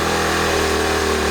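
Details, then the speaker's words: 1970 Honda Trail 90 first run after ~20 years storage and fuel system cleaning, on choke, mix of new and old gas, carb possibly out of adjustment: smooth, even engine note, no clatter or knocking; bottom end sounds like a 1,000-mile engine. "But as far as the engine itself, I don't hear any clattering, no knocking. Sounds like a 1,000-mile engine."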